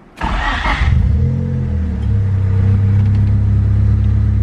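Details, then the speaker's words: Honda Civic D16, tuned without idle air control valve and idle set in the map, fires quickly, flares, then settles to a steady, even 1,000 rpm idle with no hunting or surging. "Look at that, crispy 1,000 RPM idle. Freaking awesome."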